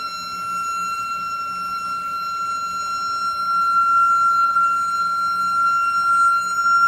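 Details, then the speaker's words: Toilet flushing noise: steady piercing high-pitched whistle lasting about a minute while the tank refills, stops when a part in the tank is touched; owner suspects that part is the cause, not confirmed. "So every time I flush, you make that noise, and then I touch this, it will just stop. So that's why I think this is the cause of it."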